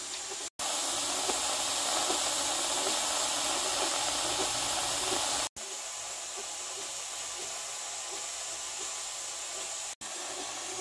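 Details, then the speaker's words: 23-quart Presto pressure canner with uncooked grain jars and steam indicator strips: once the lid lock pops, steam flows freely from the vent tube in a steady, strong hiss, purging trapped air during the 10–15 minute vent before the weight goes on; normal venting. "you can hear sputtering and burping coming out of there that's all of the trapped dry gas that is encapsulated within the jars and within the vessel itself"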